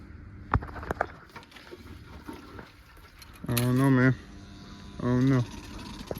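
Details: Kawasaki ZX6R with new fuel pump, cleaned intake, new plugs, fresh gas and injector cleaner fires in two brief bursts under a second each then cuts out; owner suspects weak battery, cause unknown.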